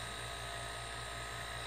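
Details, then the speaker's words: DIY silent air compressor built from a repurposed refrigerator compressor, running. Steady, even hum with a soft airy hiss of air through the lines and no knocks or rattles; it runs quietly and normally. "you can hear the air rushing through here more than you can hear anything else I don't know how loud that's going to sound on the video but with me sitting in front of this you could run this thing in a dentist office"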